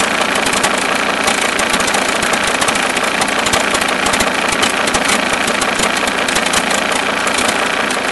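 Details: Mercedes S210 E290TD diesel at idle: rapid uneven knock about three per second caused by a broken alternator one-way (overrunning) clutch pulley.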